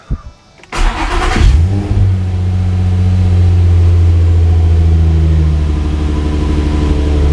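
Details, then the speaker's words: Infiniti G35 coupe after its first DIY oil change: a short crank and quick catch with a brief rev flare, then a smooth, deep, steady idle without knocks or ticks. No leaks, and the engine sounds healthy. "no leaks she sounds good and uh that was a success"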